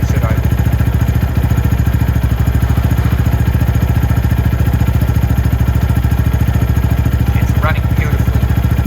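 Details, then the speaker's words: Venom X22R Max 250cc single-cylinder motorcycle, idle briefly raised via the screw above the throttle body then returned: steady even low thumping idle, no misses or rattles: normal idle. "but my idle is exactly where I want it. So you did hear it go up as I started to go up, but I just put it right back down."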